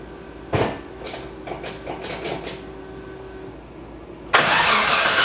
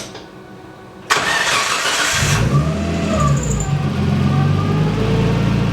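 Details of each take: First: Nissan S13 after water pump and timing belt replacement, belt retensioned, running briefly without radiator: several cranking bursts then engine runs evenly with no whine; earlier whine was from an overtight timing belt. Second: Nissan S13 after a water pump and timing belt job, accessory belts removed: the engine cranks, catches and idles with a thin whine that rises with revs; the timing belt is overtightened.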